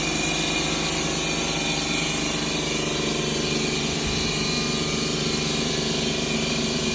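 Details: 2011 Ford Escape 2.5L with P0300 codes, misfiring on cylinders 1 and 2: loud steady idle with an uneven stumbling beat; dead cylinder with low compression, broken valve found in cylinder 2 after engine removal.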